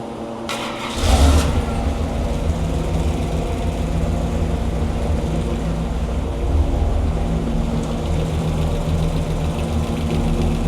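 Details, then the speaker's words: Hemi engine rebuilt after a defective part, on the dyno with timing set around 34°; fires up and holds a smooth, even low idle with no lifter tick or clatter, quiet valvetrain; normal idle. "okay SC the lifters it's good it's it sounds good yeah it's quiet"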